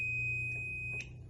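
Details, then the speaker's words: Toshiba inverter AW-DUK1300K washing machine on start; single steady high-pitched beep about a second long flagging F8, traced to the water level sensor's blue and brown wires bitten through by a rat: water level sensor fault. "Okey, biru coklat ni dia pergi ke water level ni. Okey, jadi masalah F8 tu berpunca daripada water level."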